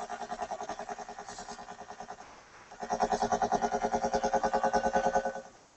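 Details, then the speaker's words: Sparton 99A tube radio during IF alignment near 453–455 kHz, no antenna connected: a buzzy tone beating about three times a second over the output, caused by the ungrounded signal generator and cured by grounding it. "Could be from lack of grounding of the signal generator. Okay, that's what it was."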